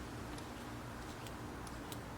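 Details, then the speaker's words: Old Sears router passed down from a grandfather: its handle finger-trigger pulls a throttle-style cable that engages the switch inside the motor. After the cable seized from 20 years of sitting and was freed with 3-in-1 oil, faint crisp clicks show the switch snapping on and off freely. "It actually engages the switch inside the motor to turn it on from the handle."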